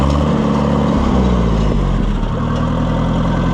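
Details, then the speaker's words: Oliver 550 tractor after a complete tune-up with new coils, started off a jump box: steady low even idle with smooth beat, no misses or knocks, running much better than before; normal idle. "Maybe What a sweetheart. Listen to that thing. Fur much, much better."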